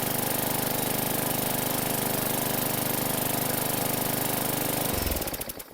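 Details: 2017 Bolens 500E 21" mower that sat outside all winter, non-ethanol fuel, starting unaided after an earlier shot of starting fluid: fires and settles into steady, even single-cylinder drone for about five seconds, then winds down; runs cleanly.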